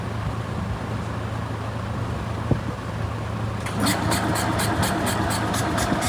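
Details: Isetta single-cylinder engine, revival with fuel, air and spark confirmed, possibly over-choked/flooded: starter churns unevenly, two or three pulses a second, never catching; crank no start, cause unconfirmed.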